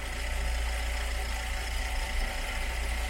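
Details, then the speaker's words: Cold VW Gol with a flashing oil light, engine being checked for the oil pressure fault: rough, uneven running with a heavy, low shaking throb and a loud drone; the vibration may come from the clutch side, not confirmed. "is vibrating, it's vibrating a little bit and it's vibrating a lot and it's making a very loud noise here."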